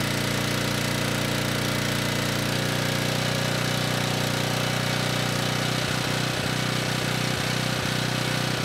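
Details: Ridgid 5700 W generator (RD905712) with Yamaha MZ300 engine, 1500 hours, salvaged from the dump; it started first pull and drones steadily with no misses, surging or knocking, running healthy.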